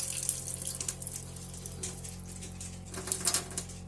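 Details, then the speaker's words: Narrowboat water pump buzzing steadily with the cold tap fully open while flow drops to a trickle within seconds; the hot tap holds pressure only until the hot tank empties. Low water pressure, cause not yet identified. "I don't know if you can hear the buzzy sort of noise in the background, but that's the water pump. The tap's still fully open."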